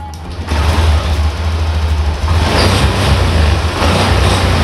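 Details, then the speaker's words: Honda Beat ESP FI (likely 2019) scooter starts after a reconnected loose socket, with the warning lamp now off. It picks up cleanly from idle to a steady, even drone with no misfire. It runs light and normal, though a charging fault remains and the battery needed charging. "enak temen-temen motornya sudah enak beraringan enteng"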